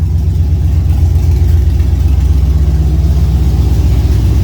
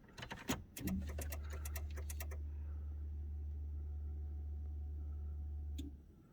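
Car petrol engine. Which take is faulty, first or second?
second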